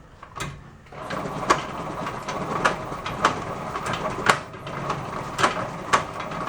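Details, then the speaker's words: 1972 Honda SL125, engine off with the spark plug out, in third gear as the rear wheel is turned by hand: a single hard clunk about every 1.5 seconds, only in third gear and not from the chain; gearbox fault. "I'll spin the back tire and you could hear the clunking that's happening in it and it's not the chain jump and over the sprocket only does it in third gear everything else is fine"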